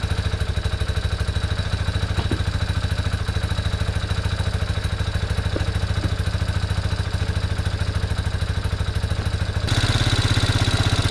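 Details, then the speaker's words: 1987 Yamaha Big Bear 350 4x4 single-cylinder ATV with uncleaned carb and pod filter, no airbox: fast slightly uneven idle, runs only on choke; owner suspects plugged carb or lean running. "so she only wants to run on choke right now which is understandable considering I didn't clean that carb"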